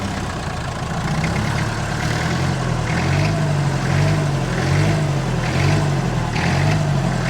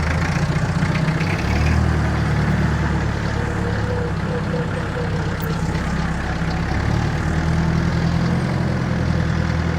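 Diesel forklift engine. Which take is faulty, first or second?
first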